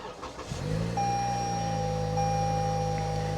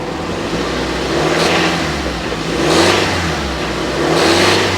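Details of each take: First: Toyota with 40,000 miles at an auction yard. The engine catches within half a second and settles into a smooth, steady idle with no knocks or misses: normal start and idle. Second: Nissan 350Z with 48,111 miles at auction, low fuel, heard from outside: three smooth revs, faint possible knock under revving, cause unconfirmed; suspected knocking when revving.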